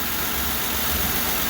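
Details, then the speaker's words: 1938 DeSoto whose wipers are entirely vacuum-operated: a steady airy hiss over a low even idle from a leak in the wiper vacuum hose running up through the firewall. "but that hissing noise is a vacuum leak and it's in the most convenient spot"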